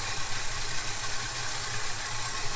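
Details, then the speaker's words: Holden HK Premier wagon V8 with Holley carburetor after float level corrected (owner presumes faulty float caused no-run): steady, even low burble at idle with no misses, surges or stumbles; idles smoothly. "going to idle for a bit now there must have been something wrong with that float i'm presuming"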